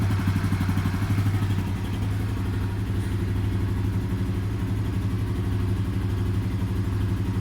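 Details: Yuki Gusto 50 C50 Chinese motorcycle after a mechanic's valve adjustment: engine putters and revs with a loose clattering tick on each firing; valve clearances misadjusted by the service.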